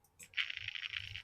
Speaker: Now hopefully you can hear the click and the little noise from the servo. Now that click is the polarity relay switching the moment I tell the point to change.